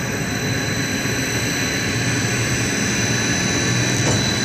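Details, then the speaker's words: 60 HP hot closed-loop pump on a VFD, after swapping two phase wires to correct reversed rotation: steady, even motor roar with a faint high electronic whine; pump turning the proper direction, normal operation. "amazing how a pump works if it's rotating the proper"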